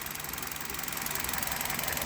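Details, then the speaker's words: Hyundai Solaris warm idle, 29,313 km, Liqui Moly 5W-30 oil, new coil wiring harness: even idle with light, fast, regular injector ticking and no knock; normal warm idle with injector ticking. "и вот так на холостых работает мотор нет никакого стука на товар стоит нет только стрекочет форсунки"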